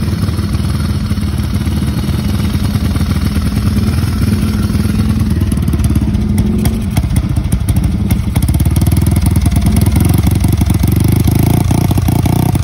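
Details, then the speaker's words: Motorcycle just started for the ride home: uneven running with stumbling dropouts and crackly stutters; intermittent misfire, also when overtaking, sometimes changing with headlight on/off; owner suspects the battery and is replacing it with a new Bosch battery. "Nah gitu kalau pas mau pulang tuh pas baru nyala motornya itu muncul berbat-berbat."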